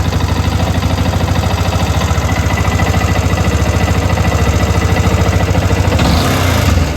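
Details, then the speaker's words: Yamaha R15 motorcycle: steady, slightly uneven idle thump, then throttle opens and engine falters and dies; bike stalls on acceleration or after riding a distance. "Bike बंद हो गैो तो M ही हमारेदर bike problem को किसीु दूर जा पर bike टा बंद हो"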